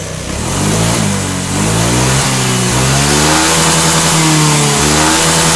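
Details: Motorcycle, engine running after adjusting the TPS sensor to cure hesitation: two clean blips, pitch rising and falling evenly with no stutter or misfire; smooth revving, fault was only the TPS setting.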